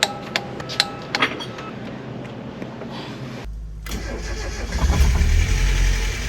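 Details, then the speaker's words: Mazda Miata after full maintenance, first start after sitting a while, coolant just filled with heater on; engine catches and idles with quick light lifter tick, owner thinks it's from sitting and settling down; ticking at idle. "all right as you saw we got it running it starts the lifter tick was really bad but I think that's just from its sitting for a while"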